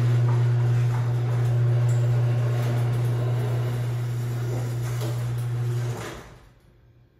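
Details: Craftsman 139.53672 garage door opener dated January 2011 on a 16x7 door: quiet going up, but a loud, steady low hum drones for about six seconds while the door comes down; cause not identified.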